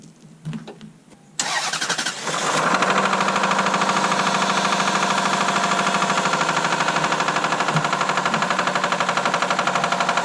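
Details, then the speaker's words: Lexus SUV that was run out of oil, oil light on: slow, labored cranking, then it catches into a fast, rattly idle. The engine is not seized, and a very dead battery is the likely cause. "You know, it didn't actually freeze. The motor is not frozen. It's I think the battery's just so dead it won't stay charged."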